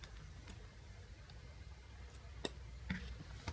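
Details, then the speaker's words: 5V 10A 50W switching power supply (SMPS), non-universal mains input, loaded with a car lamp: faint irregular sharp ticks about every second, lamp flickers and output voltage fluctuates though it measured 5 V before loading; faulty components suspected. "It works somewhat, but something is not right. It makes strange noises and the voltage fluctuates."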